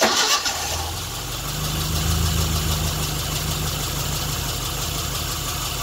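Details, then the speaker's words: Classic Mini engine's first start, compression spot on; short crank catches into a steady, even run with no knocks or misfires, before running out of fuel. "It runs. Cool. Need to obviously have a little tinker with why it's not going to be running permanently. But this is the first start."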